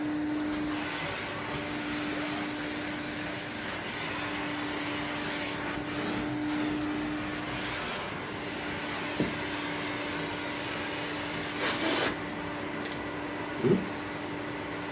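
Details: 1972 Electrolux Z310 cylinder vacuum after cleaning very dirty fans and greasing bearings, formerly very noisy: smooth, even mid-pitched motor hum with no rattles or bearing noise; normal running.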